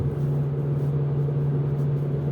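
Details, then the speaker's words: Ford Focus 2 at speeds above 60 km/h: steady low drone under road rumble, with vibration felt through the floor and wheel, fading with slight left steering; worn left front wheel bearing, confirmed by replacement. "то есть по поводу идет вибрации это начинается после 60 то есть на чуть-чуть руля влево она пропадает очень похоже на ступичный подшипник левой стороны блин"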